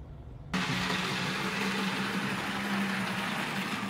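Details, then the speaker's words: Arbour Models kit model locomotive (Brooks 2-6-0 or Sierra 4-6-0) being reliability-tested with a 3D-printed replacement part, run over an hour in both directions without derailment or short. Steady, even motor hum with a faint constant tone, no stutters. Normal running. "I've had this running for over an hour now in multiple directions to make sure that everything is fine and so far it has worked completely flawlessly"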